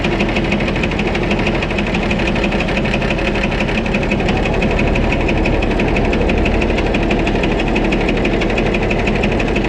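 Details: White 2-155 tractor engine restarted on a mild day, loud steady run with rhythmic hammering about three beats a second and slight miss; blow-by, exhaust and oil pressure normal, internal knock of unknown cause, engine work planned.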